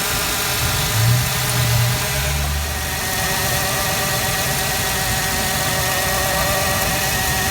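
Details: 1996 Ford Explorer Sport 4.0L with P0303. Idle did not change when the cylinder 3 plug wire was lifted, so that cylinder gets no spark. Steady but slightly lumpy idle: cylinder 3 misfire.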